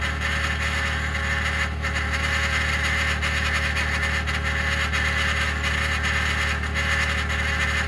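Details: 2021 Ford F-150 PowerBoost remote cold-started at -16°C: loud steady grinding/cavitating hum with a held high tone after a click, as if something starts pumping; occurs only at about -11°C and below, dealer unable to diagnose.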